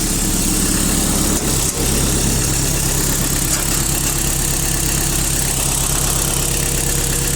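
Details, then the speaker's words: Mitsubishi D2050 Japanese used four-cylinder diesel mini-tractor, 815 engine hours, 4WD, front hydraulic blade and rotary tiller, at idle: low, steady even diesel clatter with no misses, knocks or hunting; runs smoothly and healthy. "Ну и сам трактор, я думаю, отлично слышно, как работает ровно."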